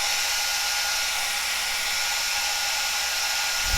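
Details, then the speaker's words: Cascade DS-925 hair dryer on high after repairing a no-heat fault with a crimp repair; temperature reading rising 67–75. Smooth, steady high-speed fan rush with no rattling or cutting out; running normally. "sixty seven seventy seventy-five here seems like it's working"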